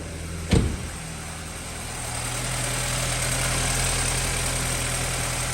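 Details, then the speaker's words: 2013 BMW 328i, first start after alternator replacement with the battery reconnected: the engine catches after a quick crank and settles into a smooth even idle with no knocks, misses or squeals; it runs normally. "And then the moment of the truth, getting back in the car, trying to fire it up. Car's firing right up."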